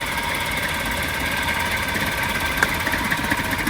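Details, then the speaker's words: Suzuki petrol car idling unevenly with irregular "chhu chhu" puffs and small knocks at the exhaust and a bad smell from poorly burned fuel: engine misfire at idle. "अब जब मैं पीछे जाके दिखाऊं, feel कर सकते हो ऐसी छू छू छू छू छू छू आवाज़ आ रही थी, बदबू आ रही थी। बदबू क्या भाई, जब फ्यूल अच्छे से बर्न ही नहीं होगा तो बदबू तो आएगी आएगी ना।"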